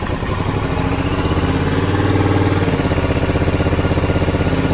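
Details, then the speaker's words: Honda VTR1000F V-twin, cold start after carb and idle-jet cleaning, warming up before carb synchronisation: even steady idle about three pulses a second, no misses or knocks; now starts well. "ja go sobie teraz odpalę żeby się zagrzał i będziemy robić jakąś tam regulację sanie on już teraz dobrze pali"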